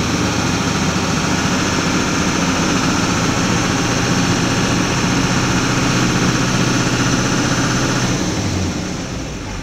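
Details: 2004.5 Duramax LLY diesel truck: loud diesel clatter with an uneven, lumpy beat, rough idle, engine shuts down; owner says a little throttle levels it out and it idles fine; cause unknown.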